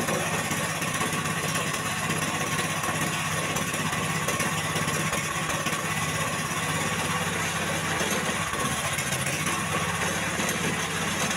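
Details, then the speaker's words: Jarwo Crown rice transplanter small petrol engine that was hard to start, test run after carburetor work: uneven, lumpy, limping idle beat at first start; rough running from an over-rich carburetor mixture. "jadi untuk awal dihidupkan mesin ini mengalami pincang mungkin para sahabat sudah mendengarkan Seperti apa suara pincang pada mesin"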